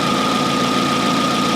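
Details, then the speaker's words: 2004 Hyundai Elantra idling after alternator reinstallation, bright headlights, blower and rear defroster on: smooth idle with a steady mid-high alternator whine. Normal charging under load at about 13.8 V (14.25 V no load, 13.73 V with lights and blower). "okay so here's bright headlights blower and rear defroster that is still charging just fine you know 13.8 with the optimal the 13.5 is fine to get that battery up to full charge so i am 100 okay with that"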